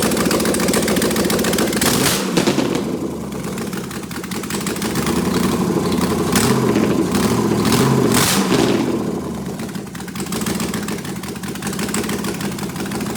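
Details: Prepped V8 engine, open exhaust with no headers, running in open loop, about 36 psi oil pressure at idle rising to about 50; fires straight up, blips revs, then holds even rapid idle crackle with no misses: normal start and idle.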